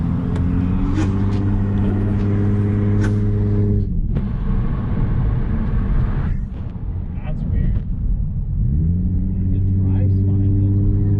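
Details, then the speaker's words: NA-T turbo-converted Lexus IS300 under boost: engine pulls and revs with sharp irregular popping like backfiring over the drone, not consistent; failing low-quality turbocharger found with damaged, cracked turbine blades. "that's a weird noise yeah it sounds like it's backfiring huh"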